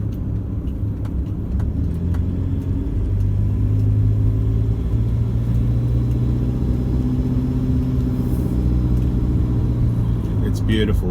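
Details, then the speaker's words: 2014 Toyota Hilux 1KD-FTV diesel, 111k, after injector replacement, at full operating temperature: low, even diesel rumble at warm idle with no knock or rattle; engine sounds smooth and healthy, previous marble-like rattle gone. "up to full operating temp now it's nice and quiet so if you've got something you're happy with and it improves that's even better"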